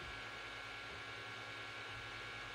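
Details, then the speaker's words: SUNLU Terminator3 (T3) 3D printer printing a Benchy at normal speed: steady fan whoosh with faint constant hum, no clicks or grinding; print head silent, the fans (about three) are the loudest part, normal. "Là, c'est super silencieux. Le plus bruyant, sont les ventilos, qui sont au nombre de 1, 2, 3, je crois."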